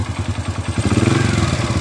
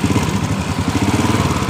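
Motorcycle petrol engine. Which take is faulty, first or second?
second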